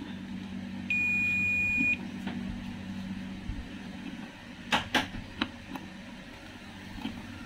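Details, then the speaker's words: Toshiba 32P2400VJ 32-inch LED TV with blank picture but working backlight: multimeter on continuity gives a steady beep across a capacitor, showing a short on the VDD line; unsure whether the capacitor or the DC-DC converter IC is shorted. "namanya saya menemukan ada komponen yang short nggak tahu itu kapasitornya atau IC dc dc converternya sendiri"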